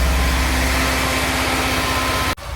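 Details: Mini Cooper with P0304 misfire code: engine held around 2000 rpm shows uneven, lumpy pulse and sudden dip as it bogs while intake cleaner is sprayed; cylinder misfire.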